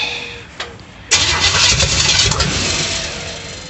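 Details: 350 V8 in a 1937 Dodge Brothers, first start attempt with fuel squirted in: brief quiet crank, then ragged uneven catch and sputter, never idling; distributor 180 degrees out, wired by Ford rotation, no vacuum line to distributor, firing order doubted.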